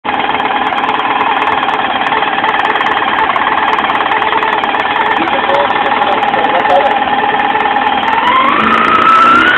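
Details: 1999 Yamaha YZF R6 motorcycle: fast, uneven rattling knock around three a second over the idle, continuing as revs climb; engine problem, owner unsure what to check, source not pinned down.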